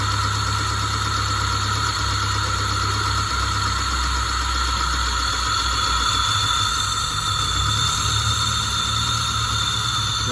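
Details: Peugeot 406 hard-starting with compression leak, just after an oil change, oil had been nearly empty (about 1–1.5 L left), temperature normal: steady idle with light fast top-end ticking and a thin squeal, noisy at first likely from lack of oil.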